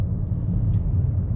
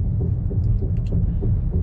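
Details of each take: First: Car at 57,000 km, never crashed, that had been clunking from a front wheel, driving after checks: only a steady low road rumble with no clunking or knocking; normal driving. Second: Car with 57,000 km, driven slowly at about 20–30 km/h: regular clunks about three per second over low road rumble, pacing with wheel speed, from a front wheel shifting on loose lug nuts.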